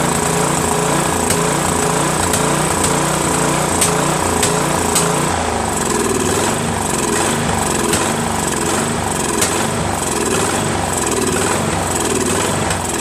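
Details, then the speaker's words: Craftsman 13.5 HP mid-engine riding mower repower, first start after new starter, battery and flywheel key: rough, surging run with irregular backfire pops; owner suspects key sheared when banged in, timing slightly off. "oh boy oh boy oh boy has a lot of backfiring as you can hear I have a feeling that the keyway is not right because when I put that key way in right I had to basically bang it in so I think it might have sheared it a little so I think the timings off just a little bit"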